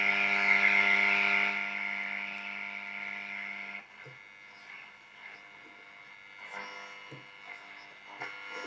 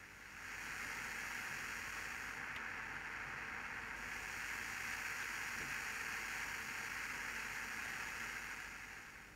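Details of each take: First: Soviet Serenada RE-308 radiogram switched from long wave to medium wave and tuned. Steady buzzing hum fades into faint crackles and hiss; interference only, no station received. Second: Serenada RE-308 valve radiogram, partly assembled after all capacitors were replaced and contacts cleaned: a steady soft hiss at maximum volume that goes away when turned down, with faint crackle from the controls. Normal for its age.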